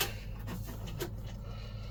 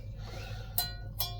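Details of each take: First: Yamaha Virago rear wheel refitted after fixing a metallic squeak found when the wheel was first fitted: only a soft, steady whir as it spins freely, no metallic ringing or rubbing. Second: Yamaha Virago rear wheel, just refitted for the first time in years, spun by hand gives two sharp metallic rings; the wheel is snagging, with a slightly bent part rubbing around its outside.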